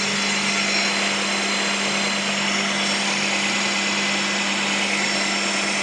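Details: 1998 Honda Prelude with oil light flickering at stops, oil level fine and freshly changed; hard steady whine over the engine hum, not power steering, pulleys or timing belt; owner suspects failing oil pump.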